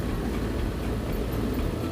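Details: Air conditioner condenser fan after lubricating bearings that had been squeaking: steady even whoosh and low hum with no squeak, turning smoothly, a temporary repair.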